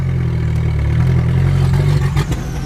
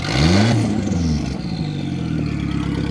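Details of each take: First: Drift car after a run: a lumpy, uneven low idle that stumbles and sags, with no power; a misfire. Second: High-boost drift project car at a 2017 track event, after a bent fuel line that starved the engine was fixed and a new fuel pump fitted. It revs up cleanly, then drops to a steady, even idle with no stumble: normal running and revving.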